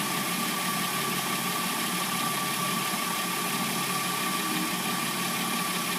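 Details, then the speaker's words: 2006–09 Hyundai Sonata replacement petrol engine idling warm with a steady, busy mechanical noise and a faint tone near 1 kHz; timing chain noise heard. "can hear the timing chain noise."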